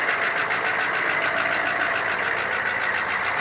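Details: 1987 three-quarter ton 4WD Suburban, 6.2 L diesel with Banks Sidewinder turbo, after glow plug swap; started at 74°F on factory glow timer, afterglow working, no double cycle. Even diesel clatter at steady idle, no stumbles, no smoke.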